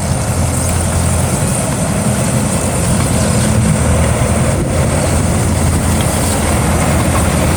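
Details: GAZ tracked all-terrain vehicle after repair: deep, even engine rumble holding a steady idle with no knocks or misfires; a heavy engine idling smoothly.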